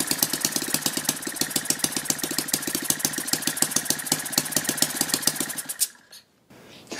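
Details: Lynx 15 small engine on two-stroke mix, after refitting the fallen-off fuel pickup tube that let the carburetor suck air; a rapid, even popping beat with higher compression, then a clean stop at ignition off; normal running.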